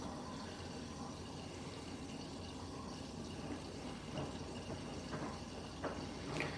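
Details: Siemens washing machine in a new kitchen, load-adjusting on a bleach clean: steady rush of water pouring through the front detergent drawer with light splashing and drips; normal fill, nothing mechanical out of place.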